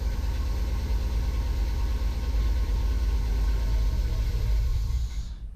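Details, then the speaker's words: Square-body Suburban V8 on freshly installed Edelbrock Pro-Flo 4 EFI, very first start before timing and idle tuning, engine not warmed up: deep uneven rumble runs a few seconds, then sags and stalls. "Yeah. All right. It dying."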